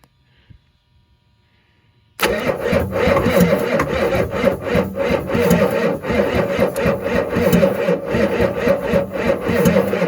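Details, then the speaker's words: 1986 Ford F350, 7.3 IDI diesel core engine on first start attempt using ether, battery 12.6 V, injection lines still being bled. Slow, labored, uneven cranking at about four beats a second, no fire; owner suspects ether lock. "Damn ether locking is what's happening on it. Need to lay off the ether for a minute, I guess."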